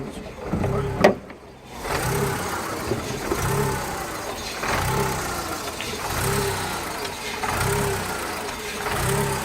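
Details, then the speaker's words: 2000 VW Polo 1.0 at idle: uneven, lumpy surge about every 1.5 seconds and an engine visibly moving up and down; a misfire whose cause is unknown. "we could say that is misfiring"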